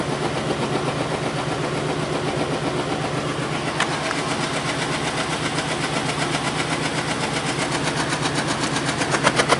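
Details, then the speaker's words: Lincoln Town Car Ford 4.6L V8 idling with an uneven, stumbling exhaust beat: misfire with no check engine light, caused by spark plug wires crossed out of firing order. "it's still misfiring on whatever cylinder I don't know I'm not getting the check engine light for it so it makes no sense um but it's clearly misfire and I can hear it"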